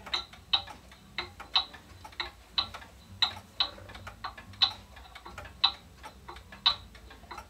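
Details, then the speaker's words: Pendulum clock, amplifier placed on the case: sharp ticks about one per second with alternating long and short gaps, a limping heartbeat tick-tock; out of beat and will stop, fixed by shifting the case bottom until even. "if you hear it ticking like that the clock is going to stop notice it sounds sort of like a heartbeat it's going bump bump bump bump bump bump bump bump"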